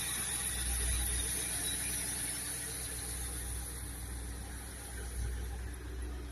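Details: ZT 260 V8 idling with a thin, steady high-pitched squeal over the low rumble. Source of the squeal not determined.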